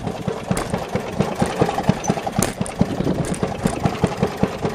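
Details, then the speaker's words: Maytag Model 92 single-cylinder kick-start engine on a Maytag 90 washer, exhaust run through water to muffle it, still smoking: muffled uneven popping, about four beats per second, burbling; rough running against the water-choked exhaust. "that's how it would sound if you had the muffler going out to the a long ways outside"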